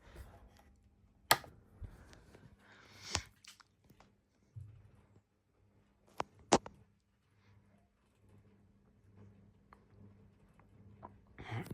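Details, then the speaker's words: Early-1970s GEC Relite 140cm industrial ceiling fan running slowly, with a bent blade causing wobble: scattered uneven clicks and knocks over a faint low hum — badly worn bearings. "Yeah, they are from the early '7s. So, yeah, you can hear the bearing sounds quite bad."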